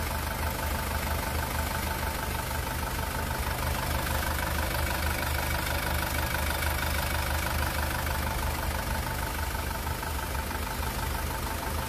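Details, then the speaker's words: 2018 SsangYong Rexton Sports diesel, 119,174 km, after an engine rebuild: a broken crankshaft cap bolt had holed the cylinder block and melted piston 1. Now idles with a steady, even clatter, no shaking or tank-rolling noise. "엔진 떨림도 없고요 소리도 잔잔 합니다"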